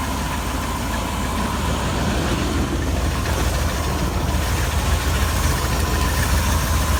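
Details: 318 small-block V8 at idle: low, steady rumble with a thin, constant high-pitched squeal riding over it; odd squeal, source not identified.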